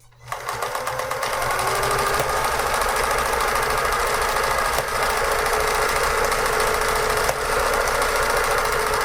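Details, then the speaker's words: Vintage Pfaff 360 sewing machine running a pattern stitch: steady rapid clatter about four clicks a second, even with no binding; normal clicking of the pattern mechanism jumping. "you're gonna hear that clicking that's just it's it jumping off because it wants a quick a quick jump stab on the picture you're making"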